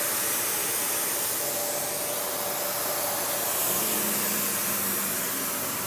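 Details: Panasonic upright, one of the last sold in the US, base plate refitted, bare-floor switch, auto height adjustment, brush roll auto-stops when upright: steady even high-pitched air and motor rush, no knocks, rattles or belt slip; running healthy.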